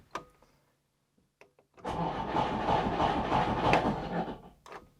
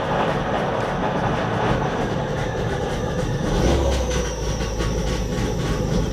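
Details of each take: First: Trabant P60 starter motor, removed and serviced after a click-no-crank fault: about two and a half seconds of steady even cranking at roughly three turns a second, then clunk as starter retracts; turning freely, solenoid suspected. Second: Trabant P60 after starter motor servicing, first start with choke out: harsh, steady grinding and rattle over the running engine that doesn't fade; owner suspects the starter isn't disengaging, not confirmed.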